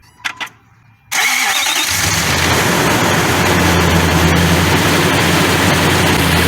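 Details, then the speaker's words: Nissan Titan after no-crank fixed by tightening loose starter wires, fuel pump primed first: a brief crank, fires at once and settles into a steady, even idle with no misses; normal start and idle. "Alright, the problem has been fixed. No problem. The problem were the wires on the starter, they were loose, so everything is fine."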